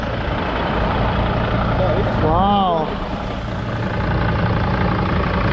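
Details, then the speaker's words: 2005 Mercedes Sprinter diesel with low compression, idling with an uneven, lumpy beat of about four pulses a second that stumbles now and then. Owner says it's a little misfire, like it's running on four injectors; cause unconfirmed. "part of doing like a little misfire like it's working on four injectors"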